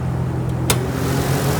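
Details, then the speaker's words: Naturally aspirated (non-turbo) 6-cylinder import with single exhaust outlets instead of stock dual tips: short steady low hum with one brief click, no knocking or ticking; no bad motor noise, runs smooth. "As you can hear, no bad motor noise. Car runs smooth."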